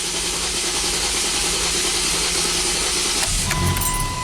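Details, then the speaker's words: 2010 Dodge Nitro 4.2 L V6, just purchased, codes for cylinder 4 misfire, multiple misfire and bank 2 catalyst; cranking in clear-flood mode with a lopsided beat, one stroke light; relative compression shows one cylinder at 79%, assumed number 4. "Okay. Now we can see that the one of the cylinders has low compression, is 79%."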